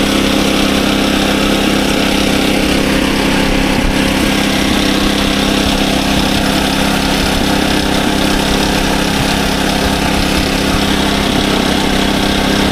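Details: SDMO 5000W generator with Briggs & Stratton 296 cc engine (about 18 hp), before repair: starts and runs great but puts out only about 4 volts on 120 and 240. Loud, steady single-cylinder drone, even beat about three per second, no misses or surging; engine running normally.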